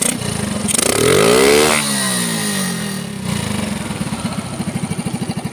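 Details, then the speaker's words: Standard motorcycle engine with a CPO PE24 carburetor: starts cleanly, revs up smoothly and drops back to a steady, even idle pulse; top-end power has improved and the engine sounds healthy and responsive. "Mesinnya juga bisa langsung dihidupkan. Rasanya luar biasa, tenaga di putaran atas meningkat."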